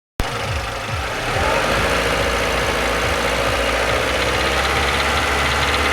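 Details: Renault Logan 1.6 16-valve, 19,000 km with the knock: the engine runs steadily with an uneven knocking, roughly three to four a second, heard only at 2000 rpm. Dealers undiagnosed; hydraulic lifter suspected, owner doubts it.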